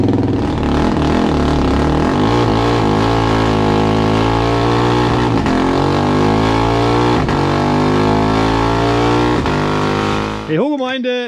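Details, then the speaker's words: Husqvarna 701 Enduro Euro5 single-cylinder engine, formerly a 1/8-mile racer in a Duke frame, rebuilt with a 56 mm throttle body; the single drones unevenly under load with sharp pops every couple of seconds, mis-fuelled because the old map doesn't suit the modifications. "Yea, as you have seen or heard, it is running, but nothing more. As a result of the complete reconstruction to this 56 throttle valve, the old map, which I still had from the old 1/8mile racer when the engine was still in the Duke frame, is of course no longer suitable."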